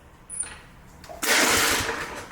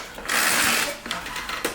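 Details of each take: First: Briggs Touch-N-Mow spring-starter mower with spark plug wire disconnected: one quick whirring spin that dies without firing; no spark, so the one-shot spring start fails and the rope must be used. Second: Briggs Touch-N-Mow mower, spring starter wound by pulling the rope with the bail up: ratcheting whir, then a sharp clack kickback at full wind; starter working normally.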